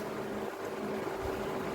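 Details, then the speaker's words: Electric fan after repair of loose, wobbling shaft that previously hummed but needed a finger push to spin; shaft now tight, tested on speeds 1, 2, 3: steady low motor hum, soft air rush, no rattles; normal running. "así que de 10 lo prendemos uno funciona dos y el tres anda de 10"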